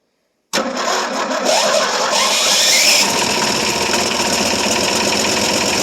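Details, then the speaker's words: 1973 Ford F100 390 FE, first cold start after about 30 years, previously stuck engine, fed gas in the carb, smoky: rough idle with a loud hammering knock about three per second; suspected lock-up, oil pressure unknown. "Don't sound real good, doesn't it? >> It idles a little bit. >> Yeah. >> Yeah. It don't sound real good."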